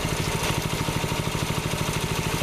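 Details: Rebuilt water-seized Predator 6.5HP Honda-clone single-cylinder engine on a Baja Warrior minibike, break-in after clean and rebuild: fired right up, idling then brought to governor speed; steady even putter, no knocks, misses, smoke or bad sounds. Normal idle.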